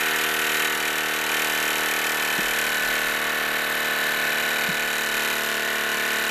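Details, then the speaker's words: Wilesco D-18 tabletop steam engine running outdoors in a back garden at full throttle: fast, light chuffing over a steady hum with a few faint clicks; normal smooth running. "okay that's a steam engine is really going I think I might turn that throttle down"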